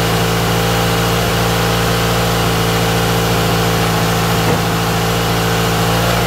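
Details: Toyota AE86 GTS running again after a cleaned, refurbished gas tank, new fuel pump and fuel filter were installed; idling while warming up with slight smoke: smooth, even idle, steady low rumble, no misses or knocks. Normal idle.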